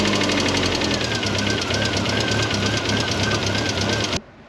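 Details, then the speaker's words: Mk1 Ford Fiesta with Zetec conversion, after setting valve clearances with new shims: steady running with a light, quick, even tick and no heavy knock; much quieter than before, tick believed to be normal injector tick. "there is still a ticking noise which I'm kind of expecting there to be but I think that is coming from the injectors"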